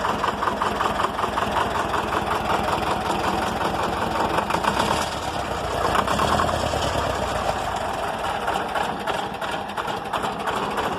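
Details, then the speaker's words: Old air-cooled Deutz diesel idling down to about 200 rpm in neutral: very slow, heavy, loud chuffing beats likened to an old John Deere, vibrating heavily; normal idle. "it's kind of funny but I kind of like the sound that's kind of like an old fashioned John Deere"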